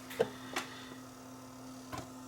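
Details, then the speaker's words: Panasonic DMR-E20 DVD-RAM/DVD-R recorder, about 20 years old, whose laser sled is driven by a small stepper motor: a few faint sharp clicks over a low hum as the laser moves back and forth during time-shift playback, working normally. "it's actually a mechanical drive with a little stepper motor looks like a floppy drive you'll hear it"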